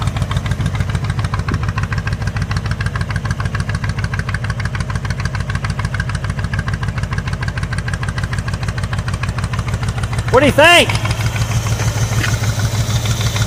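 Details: 1985 Ford Bronco (title says 1986), pasture find, first start in 8 months after puking coolant from an exhaust pipe; oil squirted down the cylinders. Lumpy, stumbling idle about three pulses a second, a couple of cylinders dead; running on about six cylinders. Cause not confirmed.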